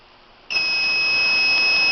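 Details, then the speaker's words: FloodStop whole-house water main shutoff system, remote sensor wetted with a little water: sudden steady high-pitched alarm tone after silence as it trips and the valve closes. "there you can hear you can hear that it's tripped and the valve is closed"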